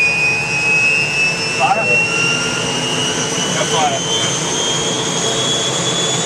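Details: UH-1 Huey helicopter turbine start after rebuild: steady high turbine whine with a rising tone layered in, clean light-off and spool-up with no surging or rub.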